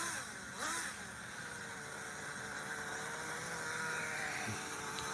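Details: Vintage HPI Super Nitro Rally nitro RC car, recorded about two years earlier before the engine repinch: small nitro engine buzzes at a high, steady pitch with smooth rev changes and no sputtering. Normal running.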